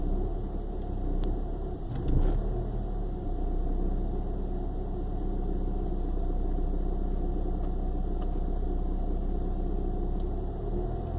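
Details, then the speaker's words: 1995 BMW 318i petrol four-cylinder at idle with an uneven, lumpy, sputtering rumble like a misfire despite new spark plugs; it starts rough and shakes on and off, good one day and shaking the next. "It does this on and off from time to time. One day it starts good, next day it's just shaking."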